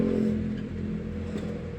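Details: Mitsubishi Elf 4M50 diesel after injector nozzle repair and crankshaft sensor replacement for hard starting: short clean rev rising and settling smoothly with no misses or knocks; sounds healthy.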